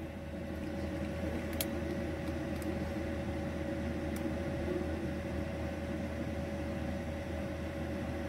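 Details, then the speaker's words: Bison 2000A heater newly installed in a camper van, running at full force after first sputtering and throwing error codes: a constant whirring fan over a soft low rumble with no surging or sputtering, putting out about 140 degrees; running normally. "let it run you hear it's bitten and sputtered like an old Model T but now she's going full force"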